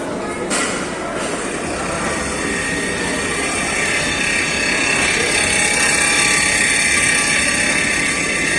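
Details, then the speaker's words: Treadmill with incline on, speed being raised to 8 and then 12 km/h: steady high whine with a hiss over the running belt, pitch rising with speed; noisy drive, cause not stated. "Minha esteira tá fazendo barulho. Vamos ver."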